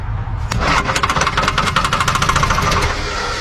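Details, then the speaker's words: Old recovered diesel engine on starting fluid: fires up, then a sharp, regular knocking rides over the rough idle in time with the engine, cause unknown; oil comes out a cracked, apparently cut exhaust and the starter seems to disengage. "Well, knocking never hurt a diesel, right? Dang it, knocking."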